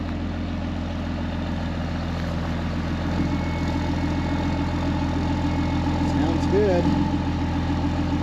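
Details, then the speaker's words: 2005 Ram 2500 diesel at idle after the FASS lift pump and fuel lines were replaced, with no leaks at the fittings: a low, even clatter with no misses or hunting. It runs pretty even, a normal, healthy idle. "running pretty even I like it"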